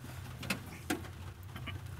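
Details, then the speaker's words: Non-starting 250 pickup truck, key cycled on and off with the mic on top: a few sharp relay clicks with no fuel pump hum after them; pump not priming. "Si de entrada Nosotros le damos el llavazo para activar y no se escucha nada por ahí tendríamos pues ya un problema"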